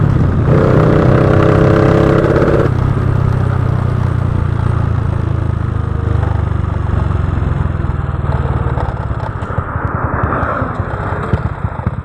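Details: Honda Wave 125i fuel-injected motorcycle running rich with a PCX150 injector fitted: on small pulls the revs sag and the exhaust goes uneven and stumbling, hesitating on acceleration. Recently replaced fuel pump suspected of adding fuel.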